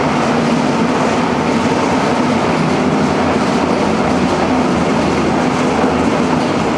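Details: Engine on a home-built run stand, fire-up after fitting a new old-stock fuse: loud, even mechanical drone with a faint steady hum underneath, no stalling or dropout; running normally.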